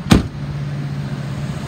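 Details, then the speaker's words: 2002 Ford F-550 XL sewer inspection truck, 6.8 L V10 gasoline, 4,900 original miles, idling after nearly an hour without overheating: single thump then steady, even low hum, no knocks, misses or surges; healthy idle. "i've had it running for almost an hour it has not overheated the motor sounds good and it idles real smooth"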